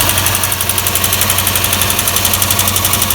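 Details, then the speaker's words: Lexus GS430 V8 (LPG-converted) idling after valve-cover gasket, cam and VVTi seal replacement: sharp regular ticking, about four a second, over steady idle, audible on one bank but not the other; cause not yet found. "You can hear the tick now. Can't hear anything this side."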